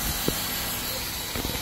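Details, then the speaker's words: Shark Steam & Scrub mop that wasn't steaming, after taking apart and cleaning the pump feeding the heating element: steady steam hiss with soft pump pulses, steaming strongly and running hot; normal steam output. "so fixed it all right so this bad boy is steaming like crazy you even see the steam coming out of here"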